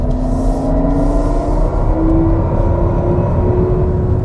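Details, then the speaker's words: 2021 Toyota Mirai Limited hydrogen fuel-cell car pulling away from lights in sport mode: faint rising spaceship-like synthetic tone over road rumble; normal sport-mode sound. "sport mode just sounds weird it sort of sounds like a spaceship so when i take off from these lights i will show you what it sounds like"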